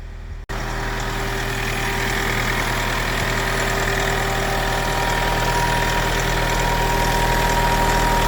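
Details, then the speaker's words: 17-year-old Mk3 Toyota RAV4 diesel idling after a 4–5-second crank that hints at a possibly faulty glow plug: it settles into a smooth, steady clatter with a faint whine on top. Sounds healthy. "But anyway, it's a Toyota, it's running. The engine does sound sweet, like, sounds good."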